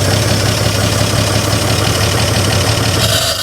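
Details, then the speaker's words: 1955 GMC 350 grain truck run on fuel hand-fed because the flow can't be throttled quickly enough: rough, uneven low rumble that runs briefly then dies away, stalling from fuel starvation as it runs out of gas. "damn it it just comes out too fast it comes out too fast i can't uh i can't throttle the uh the flow of fuel quick enough"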